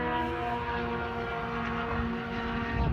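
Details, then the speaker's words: SR8 race car passing at high revs through a bend: ragged, uneven note where firing stumbles; engine misfire, cause not evident. "that thing's missing did you hear that the car's broken"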